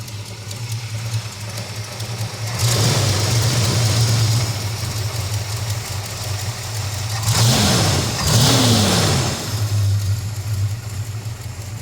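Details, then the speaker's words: 1969 Dodge Dart GT revived after nearly 12 years with a new Amazon carburetor: the choke re-engages and the engine runs super rough, loading up rich. The idle is lumpy with hanging throttle blips, blamed on a faulty choke pull-off/unloader and a weak return spring. "See what's going on underneath here. We do need to adjust the uh mixture screws and stuff. Seems like it's loading [Music] up."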